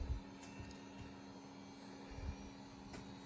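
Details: HP Pavilion 9870 Windows ME multimedia PC, first power-on after reassembly: quiet steady low hum of fans spinning up to an even pitch, no rattle or whine; fans sound healthy.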